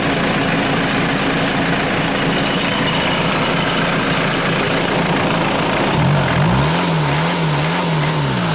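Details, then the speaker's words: 1996 Mitsubishi Delica L400, 2.8L 4M40 diesel, warm after 25–30 minutes of running following head gasket replacement: steady, even clatter at idle with rain and handling noise around it. Running smoothly. "uh we've been running for about 25 30 minutes just gonna show you"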